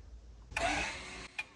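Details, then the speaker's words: Tesla electronic parking brake fitted to a Jeep, driven via relay and momentary switch with the brake pedal pressed: short motor whir about three quarters of a second ending with a click: normal electronic parking brake release. "so now that I push on the brake you'll see the switch light up and you'll hear the wording of the motor engaging the parking brake and you hear it clamp down not trying no one to stop it's pretty loud"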